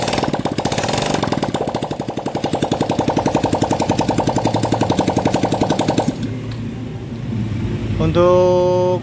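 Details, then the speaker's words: Yamaha Mio M3 scooter after fixing compression loss from dirty leaking valves (previously dead, very light kick-start): quick even single-cylinder putter, no misses or stumbles; idles smoothly, engine normal. "sudah normal sudah hidup jadi permasalahan dari motor ini dia mati total starter kakinya itu sangat ringan itu terjadi bocor kompresi akibat klep yang sudah kotor teman-teman"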